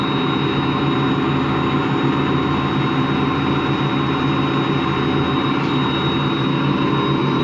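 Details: Washing machine run empty on rinse and spin: constant low rumbling growl with thin high whine, no knocking; drum not loose, owner suspects worn motor or drum bearings, spin not reaching full speed at the end.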